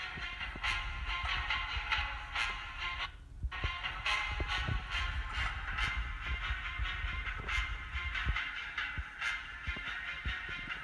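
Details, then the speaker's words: MacBook Pro Retina 13-inch A1425/A1502 after the crackling-sound repair: music plays clear and steady with no crackling or popping; speakers now normal. "So guys, as you heard, the cracking sound was already removed, or you cannot hear the cracking sound. Now it's normal."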